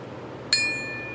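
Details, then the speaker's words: Standard no-name axe head tapped before modification: a single sharp tap gives a clear, high ring fading slowly over a second, from its hardened steel; overheating while cutting would lose the ring. "And that ring comes from the hardened steel in the axe head. If I heat it when I cut it too much, it'll lose that ring."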